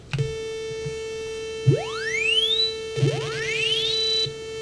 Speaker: you hear that tone in the back already right that constant tone [Music] these other noises half of them aren't even playing [Music] so it's definitely a little screwy